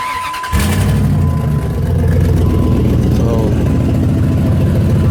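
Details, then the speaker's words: Dodge engine starts and settles into a loud, raspy, puffing idle. The flange where the exhaust mounts to the manifold has rusted out and broken, so the exhaust isn't tight against the doughnut: a bad exhaust leak. "the reason it sounds that way is because we're the exhaust mounts up to the manifold this flange broke and exhaust isn't tight against the doughnut so I'm getting out pretty bad leak right there"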